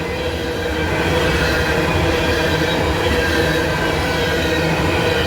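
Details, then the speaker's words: Coal freight train rolling past at Abbeville: continuous harsh roar and faint squeal over wheel clatter; noisy rails, observer suspects fresh rail grinding, unconfirmed. "You can hear how noisy those rails are today because I don't know when they grounded them. I didn't see the train come through, but it sound like a fresh grinding on those rails."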